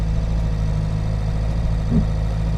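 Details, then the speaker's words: Reliant Robin Mk2 21st anniversary edition, choke fully in, during inspection drive; steady even hum held at a noticeably raised idle that never settles; engine idling too high. "The engine is idling, the choke's all the way in, the engine's idling quite high, which I'm not again happy about."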